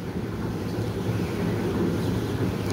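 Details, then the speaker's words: Tumble dryer whose drum won't turn and motor hums: low steady hum as the motor labours to keep the drum turning after a hand push and stalls when reversing direction, due to a defective start capacitor; weak motor running. "So, da haben wir es schon wieder. Er versucht, schafft es aber nicht. Da hat er ganz schön zu kämpfen."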